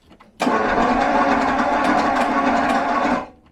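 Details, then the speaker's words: 1974 Jaguar XJ12 carbureted Series 2 V12, sat six years, previously running on 7 cylinders: about three seconds of fast, even cranking with choke, never firing. It seems to have no ignition, and the timing is possibly off. "Almost as if there's no ignition."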